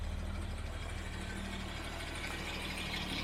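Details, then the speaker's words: 1975 Jaguar XJ6 six idling just after K-Seal added for a head gasket leak into cylinder 2, warming up on a hot day: steady, smooth low idle with even beat, no misfires, running very nicely. "So let's look back here. It's running very nicely. No misfires, nothing, just running nicely."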